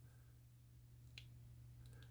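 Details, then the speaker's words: Civivi Riffle folding knife, stainless liner lock, about two months of carry, held right by the mic: one sharp click as the liner lock disengages; slight lock stick in the first bit, doesn't really affect it, lockup otherwise good. "I don't know if you can hear it, but yeah, slight bit of lock stick. Doesn't really affect it."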